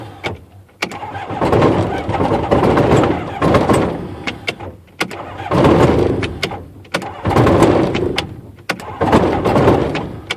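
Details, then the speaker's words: Rotax aircraft engine, brand-new Odyssey 236 battery, choke on, trying ignition off to spin then on: repeated starter whirring bursts with pauses, never catches; the prop stops completely while the starter spins; owner suspects the starter clutch. "Now that's actually stopping the prop completely now. Yeah, that's got to be that starter clutch."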